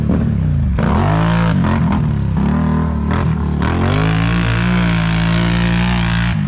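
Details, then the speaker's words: Quad being ridden: strong even note climbing and dropping cleanly through revs, no misses or knocks; pulls crisply, healthy. "Looks like that 850's running really good. I think Brandon will be impressed with that. Sounds good."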